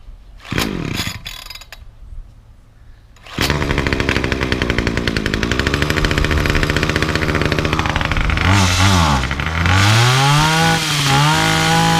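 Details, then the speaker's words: Titan combi multi-tool two-stroke trimmer, cold-started with primes after fitting a cheap replacement carburetor, attachment on: a few pulls, then it fires into an even buzz and revs cleanly. Runs fine; idle slightly high, so the blades still turn at idle. "Good. That's fixed. Okay. Super happy. That carburetor cost I think uh6."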